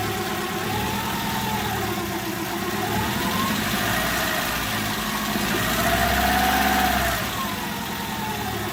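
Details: Daewoo Kalos 1.2i with a faulty ignition coil, running on only three cylinders as the fourth misfires: a lumpy, uneven, loping idle with wavering pitch.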